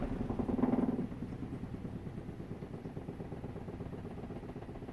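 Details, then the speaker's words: Kuppet compact RV washer/spinner combo (1040603600) on a short spin under one minute with clothes loaded: soft rhythmic thumping about four times a second that fades as the drum slows, the basket wobbling off balance. "And you can hear it. It's starting to wobble a little bit."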